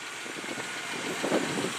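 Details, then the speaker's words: 1997 Isuzu Rodeo with 96,926 miles idling; steady, even idle with no knocks or misses, engine and transmission judged mechanically sound; sold for parts only because of a frame issue. "as far as mechanically running the engine and transmission i would say are sound as can be in fact as you can see very low mileage"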